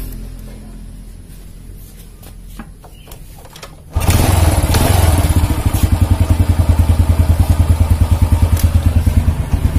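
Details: Motorcycle that suddenly would not start, after repair, gap checked and part refitted: quiet handling noises, then catches at once and settles into a firm, even thump with rhythmic revving; starts and runs properly.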